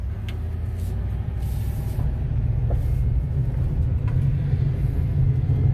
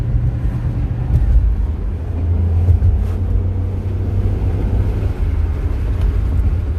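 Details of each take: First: 2006 Chevy Impala rolling along: steady low rumbling drone with a rough undertone that swells slightly, described as wheel grinding; faulty wheel hub assembly, to be replaced with a new hub. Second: 2006 Chevrolet Impala SS, test drive after replacing the bad wheel hub assembly that caused wheel grinding noise; smooth, even road rumble with no grinding or growl rising with speed, noise gone, hub healthy.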